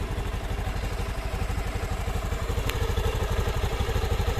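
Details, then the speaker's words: Honda Beat FI scooter that clacked from the rear pulley at idle and cold start, after replacing the worn roller housing: even, steady low putter with no rattle, normal smooth idle. "Oke, kita dengarkan. Sudah halus ya."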